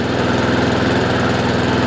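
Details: Honda IZY 19-inch petrol lawnmower after carburettor fuel-leak repair and service, revs raised slightly via governor arm after earlier hunting/surging; quick, even putter at steady speed, no hunting or surging: normal running.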